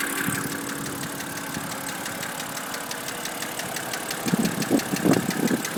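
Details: BMW N52B25 engine at idle: a sharp, regular ticking knock about three times a second from inside the engine; cause not yet known.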